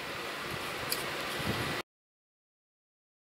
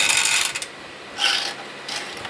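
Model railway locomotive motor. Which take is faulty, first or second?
second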